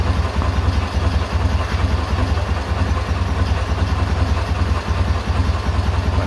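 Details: K-750 boxer motorcycle engine at idle after timing gear replacement (four crankshaft/timing gears changed), 6-volt system: steady low idle with an even pulse of about 2.5 beats a second; the previous knock is gone.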